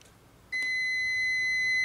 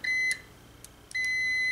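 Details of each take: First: Multimeter continuity test on a wire: once the alligator clip touches the bare wire end, a steady high beep starts half a second in and holds without a break; the circuit is closed and continuity is confirmed. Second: Multimeter on continuity setting, leads on a fuse's metal tabs in an automotive power distribution center: steady high-pitched beep, broken briefly then back as leads touch, showing a good fuse.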